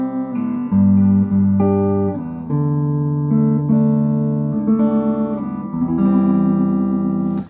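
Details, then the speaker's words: Late-1960s East German Vermona MV3 tube guitar amp after restoration, guitar into channel one (EF86 stage), tone in middle: plucked chords full and clear, loud, no distortion, crackle or hum; clean amplifier output. "That sounds pretty good. [music] This is no distortion. It's very clean."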